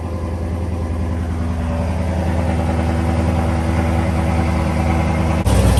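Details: Chevrolet Camaro LS3 V8 after repair for a stuck lifter that caused intake backfiring and ticking: new cam and lifters fitted, first start after reassembly; deep, steady burble holding an even idle with no ticking or tapping, engine sounds healthy.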